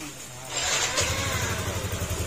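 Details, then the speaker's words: Yamaha NMax 155 with high mileage after repair: it was noisy with a helicopter-like sound and had oil mixed with coolant (milky). The camshaft and water pump mechanical/oil seal were replaced and the oil changed three times. Engine catches and settles to a quiet, even hum with no rattle. "tahimik na. Ayan. Bali, ang pilatan natin camshaft, tapos mechanical seal or yung oil seal ng water pump."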